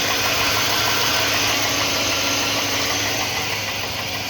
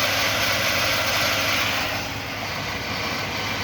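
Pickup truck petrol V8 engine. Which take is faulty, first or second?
first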